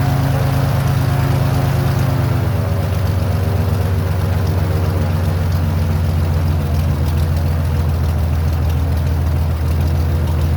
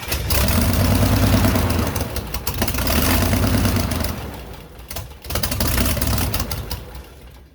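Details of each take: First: Airboat engine after carburetor base gasket fix, deep steady low rumble with even firing and no misses; a little white smoke, owner suspects a little too much oil, right at the top of the mark, plus Marvel Mystery Oil. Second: Airboat engine on its very first start, rough with uneven surging bursts and sharp pops, backfiring up through the carb; at first thought to be timing or an intake leak, the cause was water in the oil.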